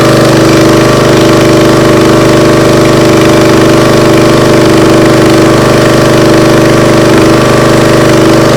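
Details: Briggs & Stratton CR950 208cc engine on a Diamond 25-ton log splitter, after carburetor cleaning for a no-start following a couple of years unused: steady, even drone with constant beat, no stumbles or surging; runs clean.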